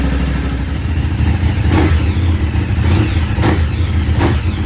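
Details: Ducati 848 V-twin just after a fuel filter change: a deep, lumpy twin rumble holding steady with no stumbles or cutting out; starts and idles fine, normal idle.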